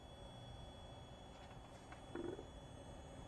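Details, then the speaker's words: Graphics card in a PC at the AC Valhalla menu: thin steady high-pitched coil whine over soft fan hum, coming from both the GPU and the power supply. "Já da para notar consideravelmente o Coil Whine Vem da GPU e da Fonte"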